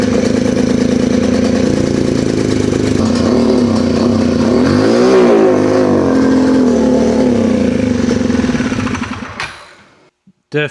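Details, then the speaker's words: Polaris RZR 170 that sat about 5 years, smoky, restarted, throttle pedal sticking. Loud, uneven running with faint rapid tapping about four per second through a rev and back down. Owner suspects the exhaust but it sounds knockish; cause unclear. "So, it sounds really loud. I think it's just from the exhaust, to be honest with you. I'm hoping it is, but it does sound kind of knockish."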